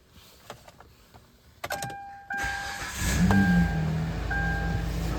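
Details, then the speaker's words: Kia Rondo 2.7L V6 starting after camshaft position sensor replacement for code P0346: brief crank, catches and settles into steady even idle with no misses or knock; engine light still on until code cleared; normal start. "fires right up, and engine light's still on, but I'll have to use my Blue Driver OBD code reader to clear that code probably."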